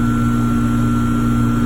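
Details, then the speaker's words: Trane electric heat pump package unit after a no-heat complaint, breakers reset, possibly a lockout cleared: constant even hum, no cycling or rattle. Blower capacitor good at 15 µF; running normally, contactor and compressor capacitor still to check. "seems to be running fine so we'll see if I find anything else"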